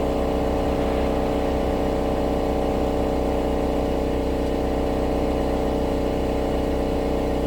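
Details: 2016 Subaru Outback four-cylinder, about 80,000 miles, warmed up, phone under the rear driver side, low idle in drive or reverse. A steady metallic buzz-rattle of two to three beats a second. Owner believes a spot weld on a baffle inside the muffler has failed; heat shields are ruled out.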